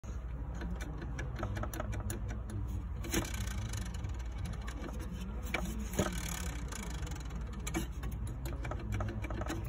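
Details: Radiator fan: a steady low drone with an uneven clicking rattle from a fan part half falling off; radiator fan rattle.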